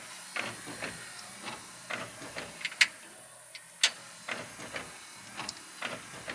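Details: 1957 GMC truck with new Bosch Icon wiper blade fitted: soft swishes and small clicks about once a second, no chatter or grinding; clean sweep.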